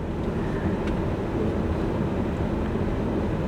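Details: 2003–2009 Chevrolet Kodiak/GMC Topkick: with HVAC off and key out of ignition, the blower runs a constant loud full-blast rush of air that never changes speed. Failed blower motor resistor (part 12135104).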